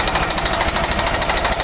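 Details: MCI coach with Detroit Diesel S60 DDEC6 (425hp @ 2100rpm): hard, uneven hammering beat, running on 3 of 6 cylinders; fault traced to external engine wiring harness, not injector harness; wiring repair restored all cylinders.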